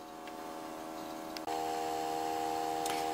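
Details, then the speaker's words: eMachines eTower 366c desktop booting Windows 98: a steady whirring hum from inside the case with light ticking about three times a second. Touching the CPU fan stops the noise, confirming a failing CPU fan. "i don't see any external fan other than power supply and it doesn't sound like it's coming from the power supply i'm going to assume that the cpu fan is busted"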